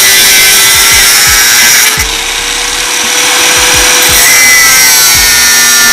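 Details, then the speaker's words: Bosch GWS 060 angle grinder cutting under pressure: high steady whine sags only slightly then recovers; power does not drop, still powerful when pressed, cuts precisely; normal under load. "coba saya tekan tenaganya masih tidak berkurang guys tenaganya masih powerful kalau ditekan masih buat suaranya ekek gitu guys"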